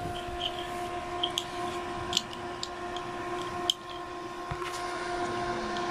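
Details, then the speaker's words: Mini air cooler blower modified from 5 V to 12 V, powered from a battery pack, after replacing the defective original; even steady hum at constant pitch with light handling clicks, strong airflow, quiet, running smoothly. "Ang lakas, tahimik na. Ang lakas ng hangin."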